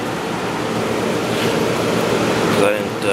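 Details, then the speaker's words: Hotpoint/GE Quiet 8,400 BTU air conditioner (rotary compressor) just reassembled after cleaning: a steady airy fan rush with an irregular watery swish. Leftover rinse water is sloshing in the base pan, which is harmless. "you can probably hear that uh water slashing around in the"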